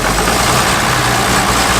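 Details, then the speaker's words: Abandoned John Deere 6600 combine diesel first start after getting fuel to the injectors: catches and settles into a steady, even rumble with no knocks or misses; runs healthy. "It's alive! Alright, hard part's done."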